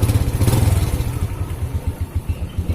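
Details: 2006 Honda Supra Fit New, previously hard to kick and feeling like a seized piston but caused by a minor fault now fixed and tightened: steady, even low thump at a quick regular beat, idling cleanly.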